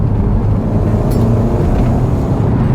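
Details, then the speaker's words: Audi TT, driving under load: steady deep engine drone with road rumble; turbo comes in smoothly with no whistle or flutter, normal healthy spool. "oh yes little turbo kicks in nicely"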